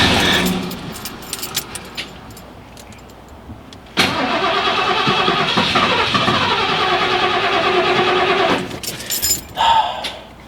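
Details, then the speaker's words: 1991 Ford F-150 that sat 8 years, cranked after replacing a bad part: the starter turns the engine over at a steady quick beat for seconds but it never catches; about six-month-old gas has gone bad, so carb cleaner is being sprayed in. "the gas is it's really bad it's really really bad this newer gas does not last that long it's like six months old so it's bad"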